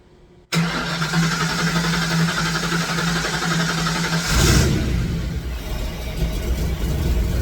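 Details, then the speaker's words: Fox Body Mustang after long sitting, more fuel added, Berryman sprayed in throttle: steady cranking with only brief catches, no start; injector signal and spark confirmed, only fires on supplied fuel. "all right my next plan I've tried everything even shot a little Berryman into the uh throttle nothing so I'm not getting anything any kind of bark outside of the fuel that I'm providing"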